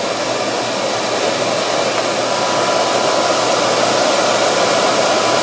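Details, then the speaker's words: 1965 Monarch 10EE lathe blower with newly installed motor, spinning about 1957 rpm: steady, even rush of air with smooth motor hum, no rattle, scrape or surging; blower running well. "all right so we're going to fire it up and uh see what this one spinning at there we go that's spinning with some Authority about 1957"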